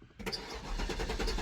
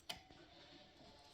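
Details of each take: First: Cadillac STS, low mileage, after sitting a year in the woods: starter cranks the engine steadily for about three seconds without catching; fuel gauge was very low. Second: Cadillac STS, injector energized: crisp little snaps as it opens; a working injector, unlike the silent failed one.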